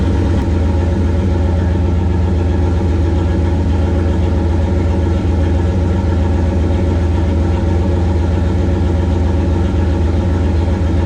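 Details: 1969 Plymouth Valiant with stock 360 Magnum V8, Mopar Performance cam, Proform intake, TF727 transmission, GT45 turbo 5 psi, running after intake manifold refit; smooth steady idle, even low pulse, no knocks, misses or hunting; normal idle.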